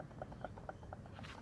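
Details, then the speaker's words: Worn alternator removed from a Mercedes W124 300 CE-24, spun by hand on carpet: a light regular ticking about four times a second with some squeak, as shaft play lets worn bearings rattle. "and also it can make a noise, like a rattling kind of noise. It starts to rapidly vibrate like so."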